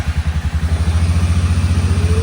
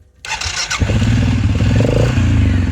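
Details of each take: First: Suzuki King Quad 750 ATV with electrical issue, which wouldn't restart hot until cooled, started after fuel pump cycles; battery voltage low; quick chugging crank then steady low thump idle, starts easily. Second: Suzuki King Quad 750, warm from blading a driveway, radiator fan running: lumpy uneven low beat that falters and fades; it dies off throttle and won't restart until fully cooled; hard starting when hot.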